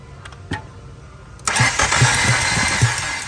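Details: Fiat with Chrysler MultiAir engine after long-term storage, oil drained from MultiAir brick solenoids: uneven starter churning about two seconds without catching; crank no start from dry MultiAir brick, oil priming needed.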